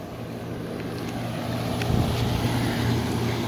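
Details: Mid-to-late 1970s Admiral Super Deluxe window air conditioner on test run before install: steady low drone with even fan rush, no rattles or squeals; blowing cold, coil frigid, only slightly warm; compressor and blower healthy.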